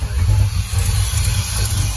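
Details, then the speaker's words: Chevrolet Monza after a complete Painless Wiring 23-circuit rewire, start at only 12 volts: lumpy, stumbling idle with dropped firing pulses, like only four cylinders firing; air in fuel lines and injector setup suspected. "sounds like it's only running on four cylinders"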